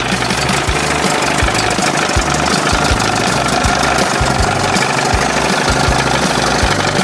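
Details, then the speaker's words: 1981 Evinrude 20 hp two-stroke outboard after powerhead flush and new thermostat and gasket, previously running cold; warm idle, fairly even low pulsing thump wavering slightly; best it has run, minor carb tweaking left. "Well, don't sound too bad right [music] there. Little tweaking. Sounds good. That's the best she's done so far."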